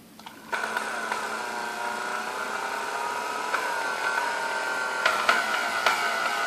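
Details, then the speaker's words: Vintage Kenmore stand mixer, believed Westinghouse-made, first power-up before service: a steady high whine with a screechy edge over the motor hum as it spins up, smoother at lower speeds, feels sticky, brushes smelled. Cause was bone-dry bushings, later cured by oiling the wicks. "what's really whines up and once you gets going even you see when I went back these lower speeds it smoothes it out but this thing is kind of sticky"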